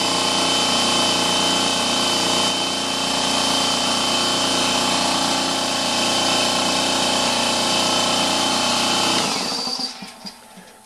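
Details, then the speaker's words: Husky 33-gallon air compressor filling its tank to 50 psi in about 75–90 seconds: fast, regular pumping beat near four per second with a hissy top, relatively quiet and steady until cutoff; runs normally. "you can hear it's relatively quiet it doesn't take very long to fill"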